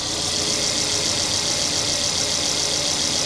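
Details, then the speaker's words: Mercedes CLA with misfire and low compression, just restarted after new tappets: an even idle with a light fast tick, possibly until oil reaches the tappet; it sounds good, but the engine light stays on and it won't rev past 2,000 rpm. "Well, that sounds good, man. That sounds really good."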